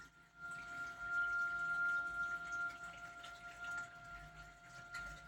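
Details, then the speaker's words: Yi/Fang return pump on a marine aquarium: a steady, thin whistle holds constant pitch over faint water trickle, a small squeal heard all day; the return pump is whining continuously. Owner plans to replace it. "Ó, esse estilo faz um apitinho, né? Então, barulho que incomoda, né?"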